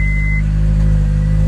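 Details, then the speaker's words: 2005 Honda S2000 sat for a year with a new battery, earlier silent no-crank, clutch pedal connector found off: short chime, then engine running at a steady, even low idle, starting even with the connector unplugged; normal start and idle. "It's kind of crazy that it starts without the clutch connector."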